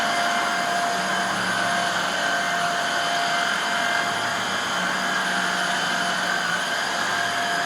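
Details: Hoover Air Steerable vacuum after refurb (commutator polish, new lower hose), reassembled test run: smooth, even motor whine at constant pitch, no rattles or surging; runs healthy with decent suction on carpet.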